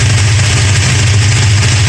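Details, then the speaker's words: 1969 Dodge Charger 440 V8, after re-torquing loose exhaust header bolts (#2 very loose, #4 slightly) and intake bolts: steady deep even idle, no snapping or hammering banging heard; loose header bolts believed cause. "So the only ones that were loose were on number 1, and so far so good. It looks like we may have found a simple solution to what looks like a very big problem."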